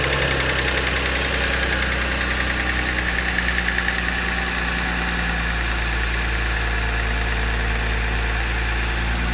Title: Cold start ticking noise